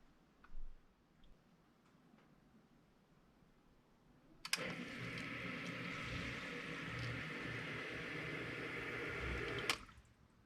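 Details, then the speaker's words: Newly installed one-third horsepower sump pump runs about five seconds with a steady rushing hum, then stops with only a soft click from the quiet check valve, replacing an old loud pump with bad bearings and a banging valve. "a video of that quiet valve and you can see it operate everything is now so smooth and quiet it's it's amazing"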